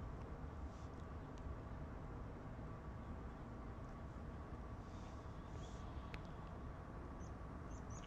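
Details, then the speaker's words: Chinese Webasto-type 8 kW diesel heater on camper van in regulation mode, heard outside the vehicle: quiet steady low rumble and faint hum, pump barely audible; running normally. "Donc là on l'entend. Mais c'est vraiment infime. Hein. Et je suis content parce que dans le camping-car, du coup, on n'entend quasiment plus rien."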